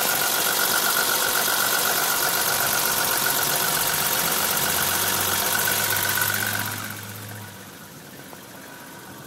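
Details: BMW E30 325i inline-six idling with quick even ticking over a hissy top end; blown head gasket, compression test showed all six cylinders losing equal pressure.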